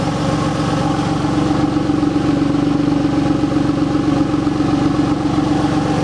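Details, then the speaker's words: 2003 Porsche 911 996 Gen 2 C4S flat-six at tick over, chuffing unevenly out of both exhausts, with white-grey oil smoke. Rough chuffing idle from a failed air oil separator. "When you start the cars, you'll see how you'll diagnose this problem is that it will chuff away out of both exhausts at tick over."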